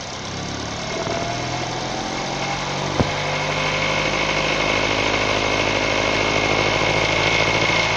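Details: 2012 Nissan Tiida, HR16 four-cylinder petrol, automatic, at idle: fast, fairly even chattering rattle over a steady hum persisting after timing chain, tensioner, rails and sprocket were replaced; cause unknown.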